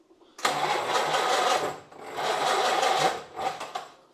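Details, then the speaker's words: Rolls-Royce Phantom III V12 after carburettor rework: two long laboured cranking bursts and a short third that never catch; engine flooded, fuel dripping, timing suspected too far advanced, to be retarded. "Sounds like it's too far advanced. Dripping a bit of fuel down there. Yeah, yeah. I don't know if it's going to start."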